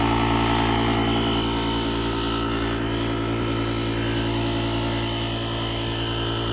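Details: JOMGAND JQP2250 jump starter's built-in air compressor inflating a completely flat tire with the pump button held: steady even buzzing drone with quick regular pump beat, no catches or rattles; normal running.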